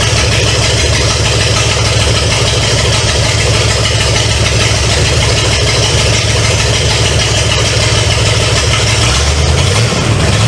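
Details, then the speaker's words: 1970 Pontiac LeMans with Pontiac 350 V8, abandoned for years, first start: loud, raw open-header rumble at steady idle, even beat, no knocking or ticking. Smoke is from oil put in cylinders to unstick rings. Normal idle. "but uh yeah it don't it don't sound bad I don't hear any uh knocking or anything"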